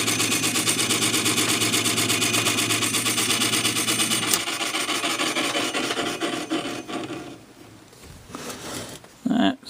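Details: Sony TC-252D stereo reel tape deck running on the bench: rhythmic dry scraping about twice a second over the drive hum; something turning is rubbing near the reel. Owner thinks it sounds like the motor, not confirmed.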